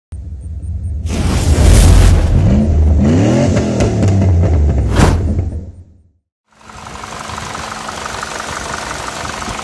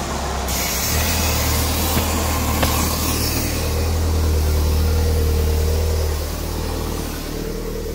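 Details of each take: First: PT Cruiser GT engine: rough, uneven idle with heavy diesel-like clacking knock about three per second; sheared cam pin left a valve stuck open. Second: PT Cruiser GT turbo engine after repair of a failure that made it sound like a diesel, valve cover not fully tightened: engine climbs to a strong, even drone and settles back with no clacking; revs cleanly.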